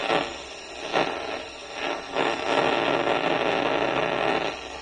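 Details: AC coil leak at roughly 2 psi heard through an ultrasonic leak detector; rushing hiss swells in pulses then holds steady: leak still detected at low pressure.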